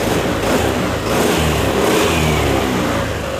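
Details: Yamaha NMAX (new) scooter after starter repair; MIL lamp still on with stored fault code needing reset; cranks briefly, catches at once and settles into an even idle with a light rev; normal start and idle.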